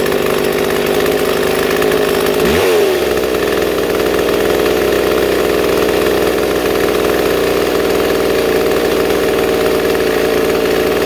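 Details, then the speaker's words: Two-stroke chainsaw with its idle set too high: a steady, high buzz that never settles, enough to move the chain without the trigger pressed. "so you can see this this chain moving when I'm not even pressing the trigger"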